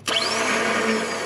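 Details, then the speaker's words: Jeep TJ breaking down on an off-road test run after rear end, body mount and floor repairs: sharp onset then a high whir slowly rising in pitch, no firing; starter spinning but engine not catching, starter replacement suspected. "he doesn't want hey I guess we're going to need to get a starter"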